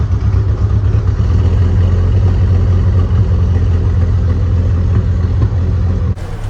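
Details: 1993 Mustang 2.3 four-cylinder, starting after a head gasket job and timing fixes. It stumbles and shakes with an uneven chuffing beat that never settles. Misfire because the plug wires were in the wrong firing order; the number four plug wire is broken.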